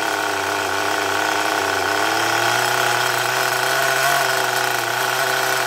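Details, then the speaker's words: HPI Rush Evo T-15 nitro RC engine with a new glow plug, ticking over consistently: buzzy high-revving note climbs as the high-speed needle is leaned, then settles; engine pitch change during high-speed needle adjustment. "just playing around with a high speed needle listen for the change in the pitch and the way the engine sounds go in Lena"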